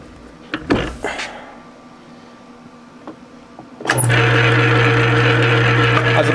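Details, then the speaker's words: South Bend 9-inch lathe running on a newer, unbroken back gear, for comparison before fitting the repaired one: after handling noise it spins up to a steady, even hum with no clicks or tooth knocks. "taking an idea what it sounds like with the not broken one on them pretty quiet"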